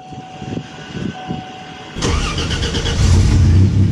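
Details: Pontiac GTO just after a repair of its repeatedly cracked exhaust manifold: the engine cranks and catches at about two seconds, then settles into an even low rumble. No ticking or puffing leak; noticeably quieter and tighter, healthy.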